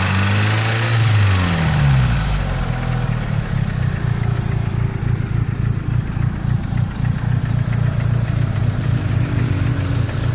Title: 4G63 Evo 3 knocking sound (Fixed)